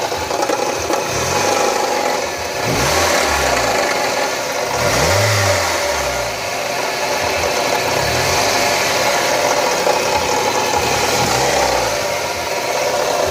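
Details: Mazda Miata petrol engine: rough, gritty rattle and knock that swells with repeated blips; owner unsure whether VVT, power steering or something worse, cause unconfirmed.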